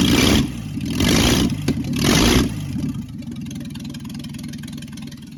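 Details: Secondhand Ford 300 inline six, first test run with junkyard intake and Amazon carburetor, choke held open. After the misrouted fuel line that caused flooding was fixed, three throttle blips drop back to a steady, even idle with no flooding.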